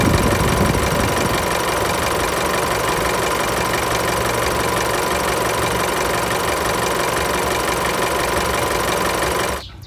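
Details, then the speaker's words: Isuzu MU-X diesel at idle after fixing a shaking AC compressor belt and noisy AC compressor clutch: even idle clatter, the belt now runs steady without swinging, with no belt squeal or clutch noise. "เขาคือหมุนนิ่งเลยนะมิ่งมากๆเลยและก็ไม่มีเสียงแล้วด้วยนะครับ"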